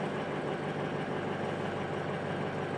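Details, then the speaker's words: 2005 Ford F250 6.0L Powerstroke idling just after the high-pressure oil pump fitting repair, while air bleeds from the high-pressure oil system: a steady, even diesel idle with a constant low clatter. Super smooth, no misfires; normal idle. "super smooth no misfires kind of Lucky uh usually these will misfire for quite a while and you'll get little hiccups while it's bleeding the air out of the high press"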